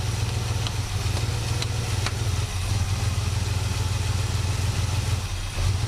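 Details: 1967 Buick GS340 at cold start: a low, heavy, slightly uneven idle with occasional dips in strength. The owner blames the ignition system, and faulty points were later replaced. The remanufactured carburetor's idle circuit was also flowing poorly.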